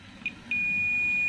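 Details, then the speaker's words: Digital multimeter on continuity/diode mode probing capacitors on a Toshiba 32P2400VJ 32-inch LED TV board (blank picture, backlight on): short blip then steady high continuous beep; capacitor reads as a short. "kalau saya hubungkan begini nampak bunyi terdengar bunyi beep dan itu artinya terhubung atau short Coba kita lakukan pengukuran di beberapa kapasitor mungkin ada kapasitor yang short"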